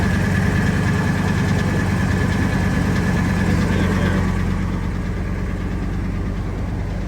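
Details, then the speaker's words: Ford F250 V10 idling after new injectors and headers were installed: faint, quick, even tick under the engine note, much quieter than before; owner suspects a remaining lash adjuster or rocker arm issue; injector ticking reduced after repair. "Well, ticking's a lot quieter."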